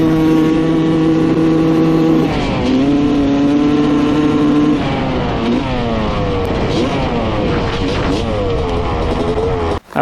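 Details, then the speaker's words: 1995 Honda CR250 two-stroke dirt bike, after setting carburetor float height to 16 mm: fine to quarter throttle, then stumbles and breaks up through mid and upper range. Bad bog that sounds lean to owner, cause unconfirmed. "the seller wasn't kidding this thing has a pretty bad mid and upper range bog to it you can kind of hear it like breaking up and uh it almost sounds lean to me"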